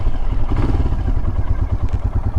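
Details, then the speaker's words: Himalayan motorcycle after a spring of stalling problems, whose fault has now cleared: an even, steady single-cylinder thump at idle, about 1100 to 1200 rpm, as it should be, with no misses or stumbles; normal idle. "all right she's just purring along right at 1100 sort of 1200 rpm right where it's supposed to be"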